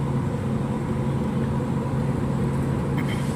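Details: Water cooler compressor after replacing the faulty relay and rejoining a broken wire, drawing about 1.8 A then settling lower: steady, even low hum with no clicking or stalling; compressor starts and runs smoothly and the cooler cools.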